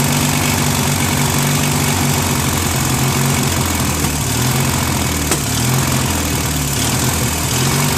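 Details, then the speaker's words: Free trash-find Briggs & Stratton 16HP opposed-twin on a Murray Ultra garden tractor, stuck valve freed, engine flushed, replacement carb fitted, started on full choke: loud low idle hunting up and down every second or two; carburetor idle screw needs adjusting. "So this was like surging a little bit, so this screw has to be adjusted a little bit more"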